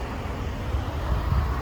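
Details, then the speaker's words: 2010 Chevrolet Avalanche V8, 130k miles, idling warm. Low, even rumble with no ticking, missing, shaking or tailpipe quiver, despite these engines being known for ticking. "it's been idling it is not ticking we all know these Motors are famous for the tick"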